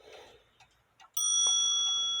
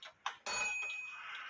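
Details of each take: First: Antique grandfather clock, hammer adjusted with space from the gong: one clean strike then bright, clear, slowly fading ring, a vibrant healthy gong sound. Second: Eight-day shelf clock gong, out of adjustment for a long time: a couple of light ticks, then a single strike that dies quickly with a dead, non-vibrant ring. Hammer set too close to the gong.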